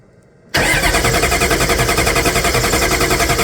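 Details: 6.5 diesel cranking with intake removed: starter churns it over at a steady, even beat of about three and a half per second, but it never catches or fires; crank, no start.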